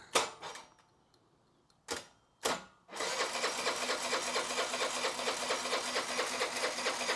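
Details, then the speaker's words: Honda Elite 80cc scooter after carb rebuild kit, new O-rings and idle jet set 2.5 turns out, battery charged: a few starter bursts, then steady whirring cranking about two beats a second that doesn't catch yet. "let's see if it finds a hole okay it didn't find a hole that's actually a good sign put the battery box back on here hopefully we are getting fuel"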